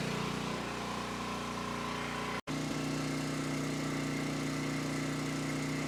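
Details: Coleman Powermate 6250 generator with Briggs and Stratton GenPower 305 10 HP OHV engine, first run after tune-up and reassembly: small single-cylinder runs smoothly at steady governed speed, wanting a little choke; carb still not perfect; normal running.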